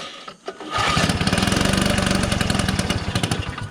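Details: 1969 Polaris Colt 303 Wankel rotary snowmobile after years of sitting, adjusting high-speed carb screw while running; rough uneven popping about four beats a second that labors, running lean on fuel.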